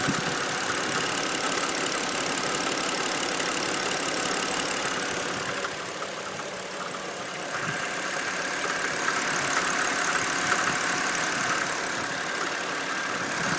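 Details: BMW N52B25 engine at idle: busy idle with a dull, loosely regular tapping, roughly three knocks a second, under the engine's hiss; engine knock at idle, source not identified.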